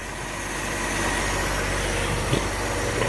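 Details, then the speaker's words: Ford Falcon, believed 170 cu in inline six, sat 17 years in a field, now running: steady, even idle with a soft constant rumble, no knocks, misses or surging; normal idle. "sounds really nice sit right there an idol 17 years sitting in a field no kidding"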